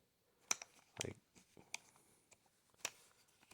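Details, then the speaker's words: Ridgid subcompact drill driver: four sharp, crisp clicks about a second apart as the chuck lock engages firmly and holds the bits well. "makes a louder click. probably a lot better lock. It really holds the bits really nice."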